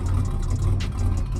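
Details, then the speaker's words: 1987 Buick Grand National turbo V6 with a 6262 ball bearing turbo, recorded by a microphone outside the car. No smoke on startup, cold or hot. A smooth, even low rumble at idle with no miss, tick or hunting: normal idle. "No smoke upon startup. Doesn't matter if it's cold or hot. Sounds really, really good."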